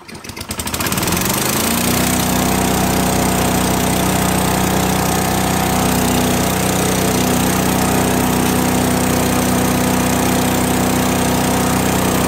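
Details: Craftsman chipper vac with 5 hp small single-cylinder engine; catches, climbs to speed within two seconds, then holds a steady, even drone; runs healthy.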